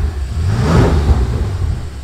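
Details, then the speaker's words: 2019 BMW X6 M, damaged project car, running with coolant filled; deep even V8 rumble with a smooth brief rev, no knocks or ticks, normal running. "вода залита машина как слышите работает козулька годится"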